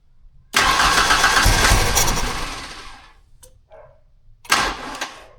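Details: 1991 Ford Ranger 2.3 after swapping the TFI/ICM module restored spark; blowing black smoke, and a crank sensor code was stored. The engine catches and runs ragged for about two seconds, stumbles and dies, then fires briefly again. Rough running.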